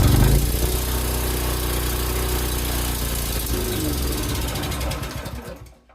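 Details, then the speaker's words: Predator 301cc single-cylinder engine that sat outside almost a year, with a rusty carb bowl and water in the oil. Just off choke, it runs roughly, falters and dies out. It sounds fuel-starved. "okay so uh as soon as I took it off choke it kind of started to"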